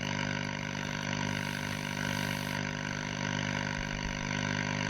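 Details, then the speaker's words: Scharnberg Strauss radiogram on external antenna, about 200 volts: steady hiss with low hum under it, no station coming through, only hash; RF present but oscillator suspected not running. "Sounds like we've got RF, but uh but we've got no stations. We may not have an oscillator running."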